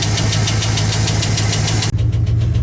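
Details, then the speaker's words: 2015 Chevy Express van, 4.8L V8, idling. A fast, even ticking knock over a rough idle tracks engine speed, loudest on the right side near the exhaust. At first it resembled rod knock; the cause was a collapsed lifter on the right bank. "Customer complaint is he hears a knocking noise under the hood when it's running, so let's go see what we got. Sounds like it's coming from this side, maybe by the exhaust."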